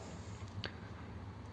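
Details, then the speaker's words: 1932 two-door sedan overdrive after switch repair, ancillary switch on and lever in fourth gear: two crisp clicks about a second apart as the relay and solenoid engage cleanly, with the ammeter moving under the solenoid load; fault fixed. "switch and you can see the um amp gaug change as well with the the load from the solenoid that's good isn't it"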